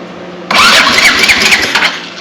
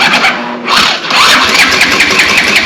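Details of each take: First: Previously seized Honda TRX200X ATV cranking after its spark plug was refitted: a loud, deeper chugging crank about 1.5 seconds long. It has real compression resistance now, and the throttle is not locked. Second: Honda TRX200X, previously seized, freed with Seafoam, first start on starting fluid with choke open: catches and revs high and steady for several seconds then dies, restarts with throttle hanging open, slight top-end valve rattle; engine firing, throttle stuck open.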